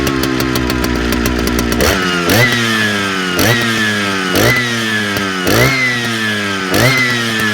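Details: Big Jonsereds chainsaw running: revs rise and fall about every second, hunting instead of holding steady; owner suspects fuel line or seals (carb kit) needed; engine surging.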